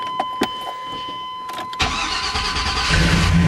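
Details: 1995 Chevy Tahoe right after starter motor replacement: a few clicks, then a quick crank that catches immediately and settles into a steady idle; the new starter engages and turns the engine over properly.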